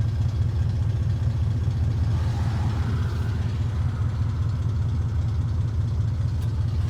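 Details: 2002 Dodge Ram 4.7 V8 idling with dense loose clatter over low rumble, recorded before repair; timing chain rattle fixed by replacing chains, guides and tensioners.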